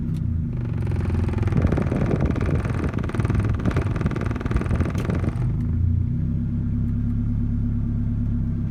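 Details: 1988 Toyota Camry, really bogs down with A/C on: rough uneven engine note under revving settling into an unsteady, lumpy idle; misfire, cause not found.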